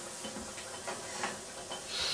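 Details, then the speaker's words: Pressure cooker cooking brown basmati rice, to be pressure cooked 45 minutes: soft steady steam hiss with faint ticking as the valve lifts while pressure keeps coming up; normal valve venting as pressure builds. "so you can see it's coming up even more and more but it needs to be a little bit"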